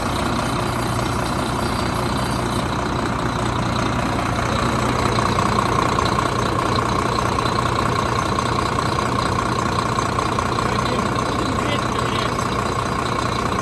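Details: 2013 Volvo FM 410 hp 4x2 tractor diesel, towed in as overheating with an oil pressure fault code, not yet warmed: even diesel clatter at idle, steady rhythm with no misses or heavy knocks; sounds healthy.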